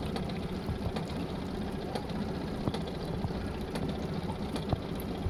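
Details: Honda BF20 outboard running: a low drone with scattered sharp knocks about every second. A knock has appeared, in the engine or gearbox according to the owner, and the motor is faulty; the exact source is not yet pinned down.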